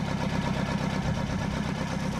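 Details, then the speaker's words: Colt Diesel truck, long unused, after bleeding fuel system and starting: even diesel clatter at steady idle, evenly spaced beats, no misses or hunting; normal idle. "suaranya pun juga enak dan kyky suaranya UFO untuk sini ya masih sip Istimewa"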